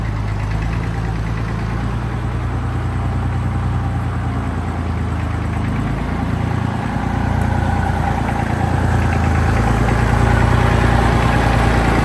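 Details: Tractor diesel after maintenance, warmed to normal operating temperature: even, steady idle clatter with firm low rumble, no misses, knocks or surging; running fine.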